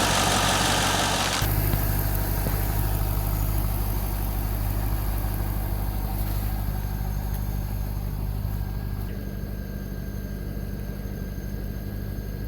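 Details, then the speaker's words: 1998 Corvette C5 first start after harmonic balancer replacement, warming up, temperature around 220 rising to 240; owner can't hear cooling fans: even steady low rumble, regular firing, no knocks or misses; idling pretty good. "okay she seems to be idling pretty good"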